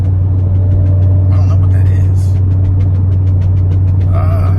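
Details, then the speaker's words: Corvette driving around 47–65 mph: heavy road rumble with fast uneven flapping tap about four a second, felt as steering wheel vibration only at higher speed; owner first suspected loose diffuser, found loose ripped front lip fluttering. "so when i start starts picking up speed i'm wondering if it's if something got loose on the diffuser and it's just banging underneath the car"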